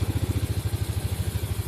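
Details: Yamaha Mio Sporty scooter idling: a steady low putter at roughly eleven even beats per second with no knocks or misses, a clean healthy idle, in a fix for stalling caused by an intake manifold hose pulling loose.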